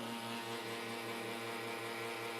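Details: Lelit Bianca espresso machine with side and top panels removed: a steady low buzz with faint regular pulsing and a constant hum; the pump is noisy at full flow, cause unclear.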